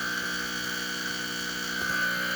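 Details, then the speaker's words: Post-service Exbobar espresso machine pulling a shot with too much coffee in the basket: pump gives a strained, steady high buzz, working extra hard at about 10 bar pump pressure, boiler about 1.2 bar, slow flow but good crema. "I think I put a little bit too much coffee in this one. That's why it's going a little on the slow side."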